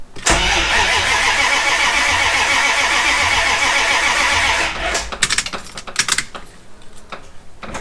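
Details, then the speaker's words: Jeep ZJ with manual V8 swap, new rewired starter, clutch in: starter spins the engine about five seconds with no firing or catch; no apparent spark, fuel line unhooked earlier. "well the starter works it didn't sound like there was any spark though i did unhook the fuel line earlier so maybe that's part of it"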